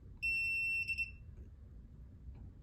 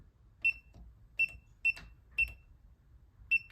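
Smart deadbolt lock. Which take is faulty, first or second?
second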